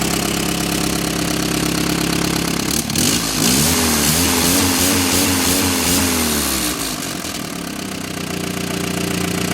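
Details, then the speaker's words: Willys Jeep engine after brass plug fix between cracks, early morning, fouled plug suspected earlier: loud steady idle, even low pulse, some revving, no misses; running normally, no radiator bubbles yet. "Well, of course, it cranked up off camera. I think it just didn't want to start because the plug was so fouled out. But now it's running."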